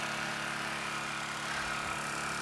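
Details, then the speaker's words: Honda EU2000 inverter generator, already warmed up that morning: steady, even hum held at constant speed, no misses or knocks; running healthy. "I've already had this warming up this morning, so I can go ahead and hit my eco mode there in the front. Idles it down and it will rev up on demand."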